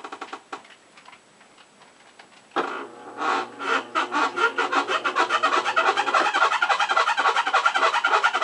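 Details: Maytag washing machine, model MVWC400XW2: rhythmic dry creaking, about three to four creaks a second, quickening as the tub turns slowly.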